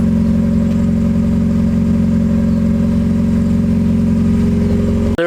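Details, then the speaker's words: 1990–1993 Miata on SpeedyEFI plug-and-play standalone ECU, first running after MAP sensor setting fix: steady even hum held above normal idle, no hunting; idle too high and throttle delayed, owner assumes open-loop running. "the throttle is a bit high or I'm sorry the idle is a bit high and the throttle seems to be delayed"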